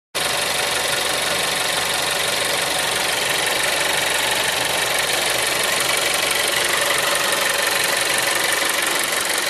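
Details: Seat Leon 3 (5F) TSI 140 petrol at idle: fast, fairly regular light ticking about three per second over the engine hum; abnormal engine noise, cause unclear.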